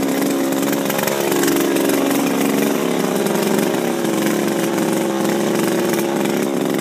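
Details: Refurbished Shindaiwa power broom with new carburetor, gaskets, carb screws and recoil, running without air filter: steady, high-revving two-stroke buzz, even throughout with no surging or misfire. Runs healthy; "she's popping, that's a positive."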